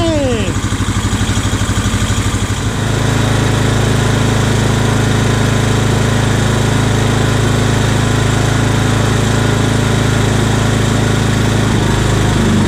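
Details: Old Scag hydrostatic walk-behind mower with new carburetor and ignition coil, throttle just off idle: cranks about three seconds, catches, then holds a steady, even beat with no misses; normal running.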